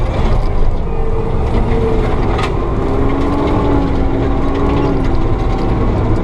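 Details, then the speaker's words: Forestry mulcher in Cunningham, TN, with the pressure gauge disconnected so the operator judges drum RPM by ear: heavy, steady drone with a pump tone that sags and climbs as the drum loads and spins back up to speed. It is working normally. "And now I just go by the sound. I can hear the RPM, or just feel it. And listen to the pumps working, so I can tell when it's spinning back up to speed."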